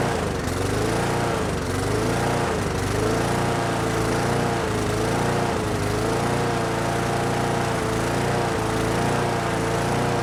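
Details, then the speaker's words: Brute mower with Briggs & Stratton Classic engine, running after being nearly locked up: pitch rises and falls about once a second, never holding speed; covering the intake to richen it changed little; surging not caused by the carburetor. "Alright, so the engine's running now, but it seems to have a bit of a surging problem."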